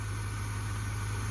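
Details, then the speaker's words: Cheap Square Body truck, Custom Deluxe, from Marketplace, first run while still cold: even, deep idle hum with no misses, knocks or shaking. Idles smoothly; cooling issues still to address. "It's running like a top. It's running amazing. Wow. Smooth."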